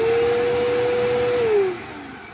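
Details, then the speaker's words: Upright vacuum cleaner: steady mid-pitched motor whine with no brush slap, then winding down; drive belt broken so the brush roll won't spin and it won't pick up; fix is replacing the belt. "that means that the brush roll won't spin. And the reason why it won't spin is because the belt to the machine is broke and it won't pick up anything."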